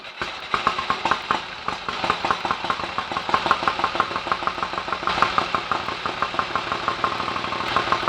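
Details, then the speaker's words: 1930 Royal Enfield 1000 cc Model K V-twin, kick-started after months unused, left on fast idle to check charging and lights: crisp, even ticking at about six beats a second as the loping twin settles; healthy normal idle. "oh that's all working nicely what a beautiful old engine listen to that a better fast swipe with a kickstart would speed that engine up lovely old machine"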